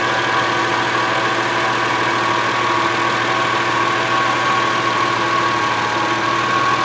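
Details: 2002 Subaru Outback L.L.Bean, after exhaust heat shield rattle repair: smooth, steady idle with an even hum and no rattle or buzz from underneath; sounds healthy.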